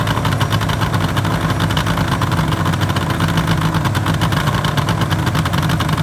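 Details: 1974 Suzuki GT750L two-stroke triple, first start after rebuild from cartons, stored six years, battery 12.66 V: even crackly burble holding a steady idle with no misses or knocks.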